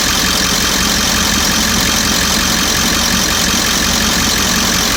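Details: 1998.5 Ford E350 7.3 diesel with a loud, rough idle, rapid clatter and an occasional sharper pop or spark-knock sound as the engine warms up; recent fuel tank delamination trouble, cause unclear.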